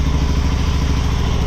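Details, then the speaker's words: Honda Shadow motorcycle (possibly 650) that sat almost a decade, after battery charge: even, steady low thumping idle running under its own power while still pretty cold on choke; normal cold idle. "check it out she's idling under her own power still pretty cold"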